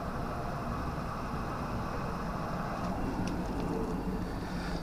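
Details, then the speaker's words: Bathroom extractor fan running on test after cleaning the pipes and resoldering the board: quiet, steady whirr with even airflow hiss; motor pitch rises when the airflow is blocked; sounds healthy, though the intermittent fault later returns. "Seems to work. If I block it, you can hear the motor go up. I think that's okay."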